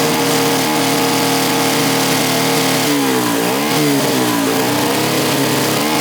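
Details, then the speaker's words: 125cc air-cooled fuel-injected turbo go-kart engine, first start with boost, about 7 psi (over half a bar) free-revving, not yet properly tuned: high revving buzz wavers and stumbles briefly before steadying; engine breaking up under boost, cause unconfirmed. "we are making about 7 lb of boost just on idle and riving it which is crazy and it's not even properly tuned yet you can hear it's like breaking up"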